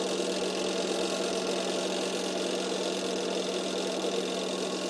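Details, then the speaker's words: Sharp manual twin-tub washing machine whose wash side does not work: spin tub runs with a steady even motor hum and smooth whir, no knocks or scraping; spin rotation normal. "Oke bener ya masih normal ini kita dengarkan suaranya juga masih halus perputaran dari tabungnya"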